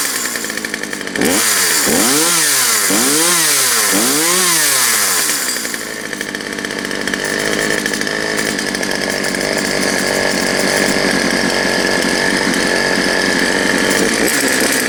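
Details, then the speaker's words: Poulan Pro 222 38cc chainsaw after correcting misrouted fuel lines: four quick clean revs climbing and dropping smoothly, then a steady high-pitched run without stumbling or bogging; normal running. "no there it is guys believe this one's ready to go back to the owner"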